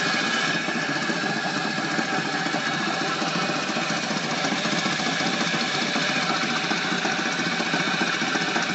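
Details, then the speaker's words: Flywheel rig belt-driven by a start-capacitor/run-capacitor motor. A 50 µF run capacitor fitted in place of the 25 µF causes a harsh, uneven belt slap about three beats a second over the motor roar. The motor draws nearly a kilowatt, and the cause is unexplained. "when we connected a 50 micro farad capacitor we get some real weird belt vibration belt slapping it's difficult to to describe"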